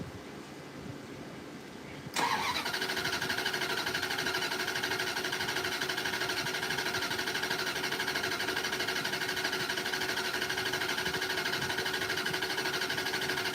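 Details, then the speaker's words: Chrysler Fifth Avenue with Mopar mini starter: cranks steadily over ten seconds at even churn but never fires; fuel light flashing, tank suspected out of fuel. "Yeah, because not only is the fuel light on, it's flashing."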